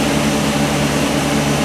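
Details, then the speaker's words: 2019 Chevy Express/GMC Savana just started after serpentine drive belt replacement: steady smooth idle drone with no belt or pulley squeal or chirp. Finding: normal idle after repair. "all right so I have my wife get in she going to fire it up so it sounds pretty good looks like the belt might have fixed"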